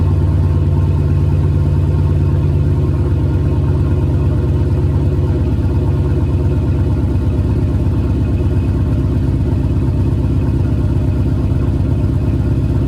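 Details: Car with JBA shorty headers and stock exhaust at fast cold-start idle after an exhaust leak was fixed: deep, even exhaust rumble with no puffing or ticking, sealed and healthy.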